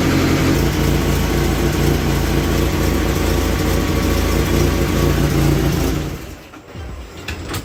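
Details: 1996 Mitsubishi Eclipse after head resurfacing and valve seal job, warm idle with no engine lights: steady even tapping about four times a second over the idle before it dies away; likely top-end valvetrain tick, engine described as having an aggressive cam.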